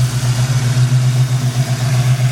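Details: Old blue Chevy V8 warmed up, steady even low rumble with no stumble or skipped beats, firing on all cylinders; squeaky alternator quit; owner suspects a faulty injector and plans to pull the upper intake.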